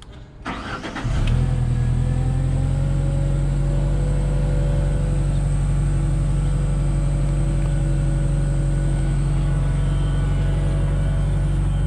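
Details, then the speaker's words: Genie S60 boom lift just after crank-no-start repair: cranks then settles into a deep, lumpy, uneven idle; mechanic suspects starting fluid sprayed in earlier caused the rough start-up, not confirmed. "now that it's running it doesn't sound as bad i think they probably tried to spray a bunch of starting fluid in it thinking that was what was wrong with it and uh i think that's why it sounded so rough when it first started up"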